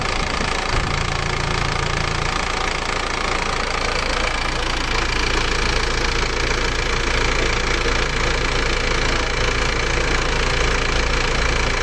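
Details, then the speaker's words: Isuzu Elf diesel after replacing two cylinder liners and bearings without removing the engine, fixing blow-by: even idle clatter about two and a half beats a second, no missing or heavy knock, smoother than before, possibly better compression. "Kita merasakan suara mesinnya kayaknya lebih halus daripada sebelumnya. Ini kayaknya lebih halus sekarang ya."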